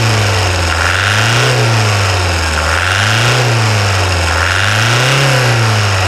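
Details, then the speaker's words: 2008 Toyota Hilux 2.5 diesel idling after full service, engine wash and preventive radiator replacement with new coolant additive; steady smooth low drone swelling slightly and evenly, no knocks or rattles, healthy engine. "Então vamos escutar a melodia do motor 2.5 da Raila milionário por favor"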